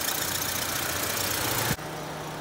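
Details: 2005 Mitsubishi Global Lancer idling with AC on after the AC low-pressure pipe was wrapped in heat-insulating cover; steady, even idle with low constant hum and fan whirring, no knocks or misses, idling normally.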